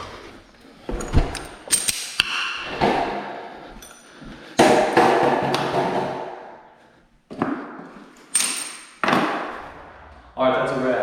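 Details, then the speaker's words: Lightweight Dalton garage door after repair (end bearing sprayed), run by hand to test balance: a rolling rumble and soft thuds with no grinding or binding, slight pullback. Balanced, normal operation. "So let's see how she runs. Ooh, listen to that. Beautiful. See, when I pull it down, it had a little bit of pullback. That's awesome."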